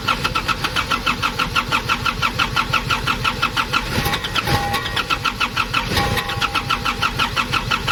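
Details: Nissan Urvan ZD30 diesel, previously a no-start, after a black, dirt-clogged part was cleaned and refitted: rapid even cranking clatter for several seconds, then it catches and settles into a steady idle as fuel now reaches the engine.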